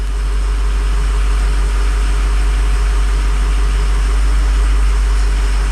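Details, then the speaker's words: Diesel truck running with about 50 psi fuel pressure after swapping fuel injection control module (FICM): steady even idle clatter about four beats a second, no misses or knocks; injectors sound healthy, head gasket failure suspected separately. "that's pretty cool sounds pretty good too let's see actually sounds pretty good"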